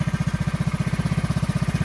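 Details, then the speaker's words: Go-kart small single-cylinder engine after cleaning the carburetor, started by jumping the solenoid: quick, even firing pulses with no misses or rattles while fuel fills the line; running well. "we need to let the fuel go through the line but it sounds like it's running pretty good"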